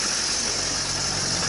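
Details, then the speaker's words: 2003 Duramax rollback diesel idling unloaded after fitting new belt-driven hydraulic pump: steady high-pitched hiss-whine; belt aligned and not slipping, owner dislikes noise, cause unconfirmed; abnormal pump whine. "everything looks good lined up and straight but I don't like that I don't like that noise definitely don't like the noise but hopefully that's the problem"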